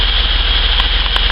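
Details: Holden VS Commodore after spark plug change, end of repair: steady smooth idle, even beat, no misses or ticks; runs like new, though Top Gun spark leads are corroded.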